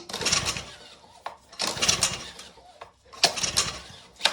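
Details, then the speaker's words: Ryobi pressure washer engine, fresh fuel, kill switch and fuel on, choke tried on then off: three quick recoil pulls spin freely with no firing and no compression resistance, no signs of life; pointing to a valve stuck open. "No signs of life whatsoever."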